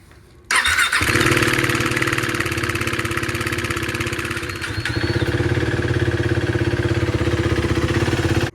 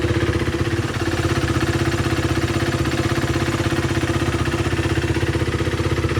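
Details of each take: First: 2016 KTM Duke 390 single-cylinder that started making weird noises on the ride home from work: on startup it gives a loose, fast metallic knocking clatter over the idle. The cause was a failed timing chain tensioner, before replacement. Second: 2016 KTM Duke 390 after replacing the timing chain tensioner that had caused a knocking noise: a steady, even single-cylinder idle, about four firing beats a second, with no tick or rattle. Normal idle after repair.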